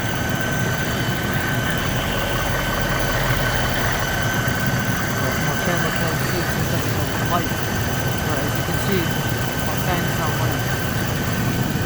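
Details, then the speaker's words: 2008 Mercedes-Benz CL500 (W216) after replacing the climate control module that caused no heat and fan stuck on high: steady even idle, faint whine, engine cooling fan now quiet; fixed. "and also engine cooling fan is quiet as well as it's not"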